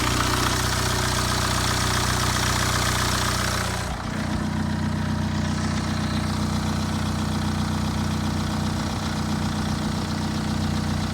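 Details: Late-2009 BMW 320d with N47 diesel, cold start: airy swoosh over the diesel clatter for the first few seconds that then dies away; no timing chain rattle heard, cause unclear.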